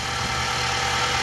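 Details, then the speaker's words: 2019 Nissan NV3500, 5.6L VK56VD direct-injection V8, about 38,000 miles, after a hose fix: a smooth idle with normal fast injector ticking, and the loud hose-area noise is gone. Normal idle. "back in the engine bay the car is noisy in general that is normal uh sounds like direct injection and whatnot but the extremely loud sound coming from the hose area is gone has been eliminated"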